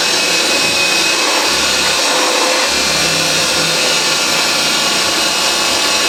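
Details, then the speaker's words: Refurbished vintage Hoover 612 vacuum, motor much like later Hoover Senior but thought slower-running: steady even purring motor roar, no rattles, scraping or hunting; runs smooth and healthy after refurbishment. "These machines, they actually, I think, run a bit slower than the later Hoover Celias, though they are pretty much the same motor."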